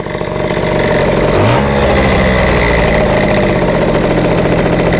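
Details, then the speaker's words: Yamaha Jog CE50 scooter with rebuilt 70cc motor, no vacuum leaks found, bogs when ridden: after a rev blip the revs hang and drift down slowly instead of returning to idle; owner suspects lean mixture. "to me that sounds lean. Just the way it hangs at idle and doesn't come down straight away."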